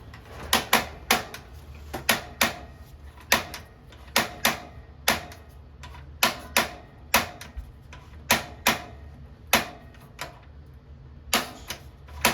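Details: 2022 Wildwood 28VBXL travel trailer propane oven, right knob turned to the flame setting: sharp even igniter ticks about one and a half per second in a quiet room while lighting the oven; normal.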